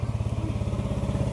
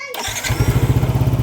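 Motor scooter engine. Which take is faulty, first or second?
first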